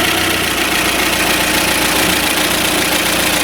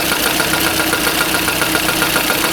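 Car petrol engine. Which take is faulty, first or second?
second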